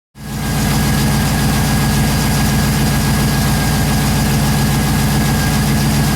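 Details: Pontiac GTO V8, first start after top-end rebuild for a suspected lifter noise: steady, even idle with a firm regular beat and no ticking or knocking; healthy running.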